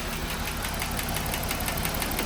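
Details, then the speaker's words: Jeep Wrangler JL 3.6L at idle, stethoscope on bank one, heard near the PCV and quieter at front of cylinder one, nothing on bank two: fast even ticking about six per second from a failed rocker arm roller; intake camshaft and rockers replaced. "I put it on the front of cylinder one. And I hear ticking, but it wasn't as loud."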